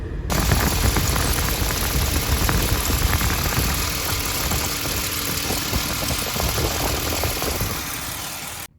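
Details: 2006 Ford Explorer 4.0L, 148,000 miles, after replacing plastic thermostat housing with aluminum and refilling coolant, warm-up leak check: engine idles evenly under heater fan on high; no leaks, thermostat working, normal idle.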